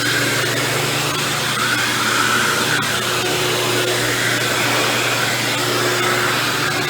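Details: Dirt Devil Deluxe 8201 upright vacuum with new belt and bag, cleaning carpet: steady motor whir with a rough gritty grinding through it; brushroll bearings worn, motor ruled out since it ran quiet with the belt removed.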